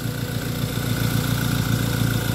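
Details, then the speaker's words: Ford Lynx after crank no-start repair of an electrical fault (no spark at high-tension wires; fuel pressure and coil OK): smooth, even low rumble at steady idle with no misses or knocks; normal idle. "So ngayon okay na siya running na"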